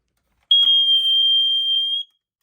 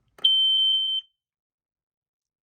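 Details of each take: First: Older First Alert smoke alarm, same as SA76RC, 9-volt battery possibly weak: a single steady high-pitched tone for about a second and a half, apparently set off by the cover leaning on the test button. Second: Montgomery Ward smoke alarm, BRK-made version of a 79R, test button: one shrill, steady high tone under a second, then quiet; sounds just like a 79R, normal test.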